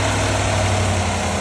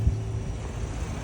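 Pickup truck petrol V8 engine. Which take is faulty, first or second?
first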